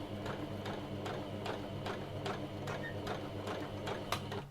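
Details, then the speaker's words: Sewing machine running with uneven ticking strokes about 2.5 per second, labouring and still struggling to pull the fabric through; poor fabric feed. "so that is still struggling to pull that fabric through yeah that is definitely not doing a very good job"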